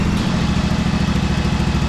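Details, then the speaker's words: Cheap used riding lawnmower that sat long in a garage with old fuel, started easily and now warmed up: steady, even thumping at a settled idle with no misses or knocks. Normal idle. "oh yeah there you have a guy she's running i can't believe that she started that easy i thought it's going to be a pain in the ass"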